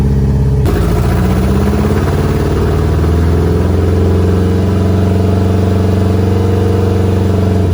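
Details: Audi B5 A4 first start on a standalone ECU after the wiring harness was reinstalled; ECU told an opposite firing order to work around suspected mis-pinned outputs. Catches after a short crank and settles into a steady, even rumble with light throttle blips; all cylinders firing, untuned, lambda issue pending.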